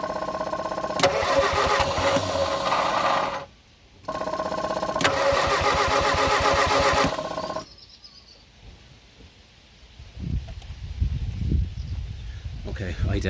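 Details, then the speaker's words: Abandoned Morris Minor: two long bursts of steady starter cranking with a brief uneven catch, skipping on the starter, but it never runs. Cranks with intermittent firing, no start; petrol to be introduced next. "think that fired. You could hear it skipping on the starting motor."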